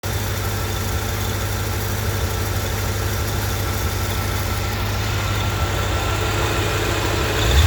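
Steady V8 idle with an uneven, stumbling low beat and occasional dropped pulses; sounds like an intermittent misfire.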